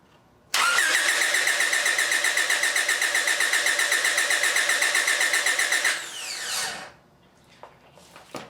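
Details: 1997 Honda Accord during no-crank diagnosis, starter activated for voltage drop test on starter solenoid power side: strong even cranking near four beats per second for about five seconds; starter turns engine healthily, power wire good.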